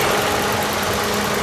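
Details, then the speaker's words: 2009 Toyota Yaris E at idle with the AC running. An even idle with the AC fan motor's whoosh on top, which is its standard sound; no knocks or rattles; normal. "Ini hanya ada suara apa namanya, kipas motor fan AC ya sahabat ya. Memang normal atau standarnya seperti itu suaranya."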